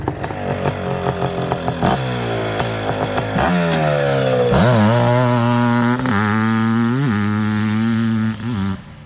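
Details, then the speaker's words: Suzuki LT500R Quadzilla 500cc two-stroke after jetting; crisp revs climb and drop cleanly through throttle blips with no bogging; runs well, surprisingly quiet, normal running. "it does sound pretty good guys"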